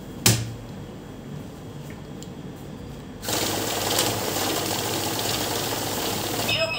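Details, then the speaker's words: Currency counting machine with fake note detection, feeding Indian notes with a fake inserted: steady rushing whir of notes, then it stops, display turns red and short high beeps sound; fake note caught, sits at front of stacker. "देखिए आपके सामने machine रुक गई है, display red हो गई है, beep की आवाज आ रही है, बीप की आवाज आ रही है।"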